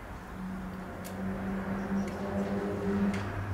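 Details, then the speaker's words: Rewired cooling fan system: the relay gives sharp single clicks about once a second over a low hum but the fan gets no power and does not spin, caused by a missing ground wire. "Alright, so the relay is clicking. Is the fan finally had it or what?"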